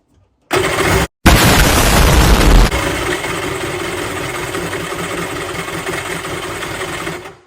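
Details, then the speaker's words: Polaris SL750 jet ski with a replacement crankshaft, first start attempts: loud cranking and sputtering bursts, catching briefly then fading. It won't run on its own yet; the fuel bowls still need to prime, and premix is poured into the carbs to help. "so this thing is definitely not wanting to run on its own"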